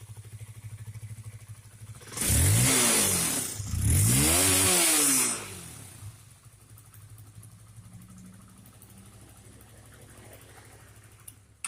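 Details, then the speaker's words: Honda CBR that stalls, stutters and won't accelerate while riding: two rough revs then weak, uneven stumbling idle; misfire from dirty, wet, leaking spark plug cap that needs replacing. "Nah, ini tidak normal, kan? Ini tidak normal. Masalahnya ada di area tutup busi, Bro."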